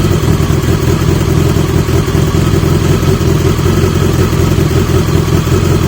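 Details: 1980 Yamaha XJ650 four-cylinder with new (old) exhaust pipes: steady loud burble with even, crisp beat and no blowing or rattling, a healthy exhaust note, much better than before.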